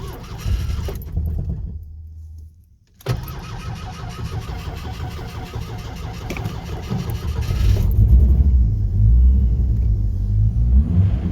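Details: 1986 Mustang SVO with a recent new 3" Stinger exhaust: long cranking at about three beats a second, a pause, more cranking, then it catches and revs. It is hard to start unless the gas pedal is pressed; cause unknown.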